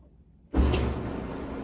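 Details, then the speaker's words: Frigidaire stackable dryer, a month after repairing a no-spin fault: drum starts with a soft thump and settles into a low even rumble with no squeal or scraping; normal dryer operation. "So that sounds great. It's definitely rotating and easy fix."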